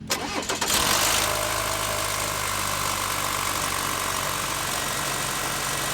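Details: 2.7L TurboMax truck on startup, rattle present for about 40,000 miles and not worsening: engine catches, then harsh metallic rattle over high idle; owner suspects the turbo, not confirmed.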